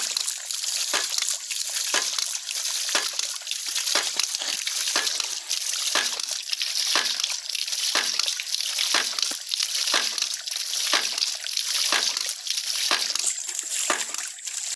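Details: Ram pump with a homemade spatula-spring waste valve: splashy clacks about once a second over rushing water. More weight on the valve slows the cycle, giving a bigger water hammer and more output.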